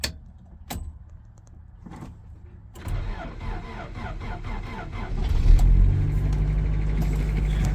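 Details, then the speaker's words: K30 Squarebody Chevy crew cab that had been sitting, started on a jump pack after priming a couple times while testing the alternator: a few clicks and a brief crank, then it catches promptly into a smooth, steady idle. Normal start. "started right up and then you come over here turn your power off car still runs"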